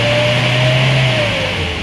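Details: Hyundai Starex D4CB diesel with low-power complaint, after turbo adjustment and added ATF: revs up with a clear whistle rising then easing; turbo now spooling properly.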